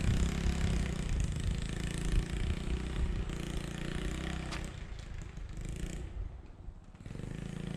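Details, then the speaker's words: 1986 Yamaha Moto4 YFM200DX ATV, sputtering under throttle and idling poorly: uneven putters and burps, surging then nearly dying; rough running blamed on a dirty carburetor, carb to be removed and cleaned. "it's still burping pretty good it sounds like"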